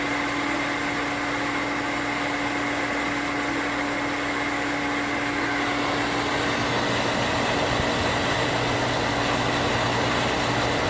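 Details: New 1 hp cast-iron booster pump (replacing a worn-bearing Sta-Rite): motor hums steadily, then turns rough and fluttery once pressure peaks, as the pressure switch chatters (short cycling), before the switch rewire.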